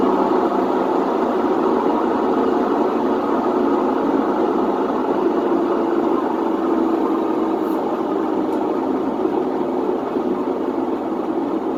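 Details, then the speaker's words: Whirlpool WTW4950XW3 washer on drain cycle with the drum spinning: steady loud roar with a gritty rumble, no knocking; worn drum bearings, which the customer chose not to replace, wanting only the drain pump changed. "pero vamos a escuchar este sonido que es lo considero como típico de una lavadora con problemas de rodamientos"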